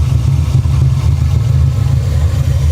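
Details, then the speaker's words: 1989 Ford Mustang GT Foxbody V8 at idle, oil filler open: deep rough idle with heavy pulsing chuff; strong crankcase blow-by, owner suspects a lower-end problem. "oh crap come here come here there we go that is Blow by"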